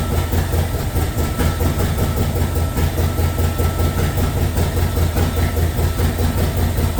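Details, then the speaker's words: LS2 V8 in a 1967 Corvette, just started for the first time, cold on a default map before operating temperature: heavy burble pulsing about two beats a second, steady, no knocks or misses. "I don't know if it needs to kind of get its bearings. Is it it shouldn't it should be on a kind of default map right for the first until everything gets up to operating temperature."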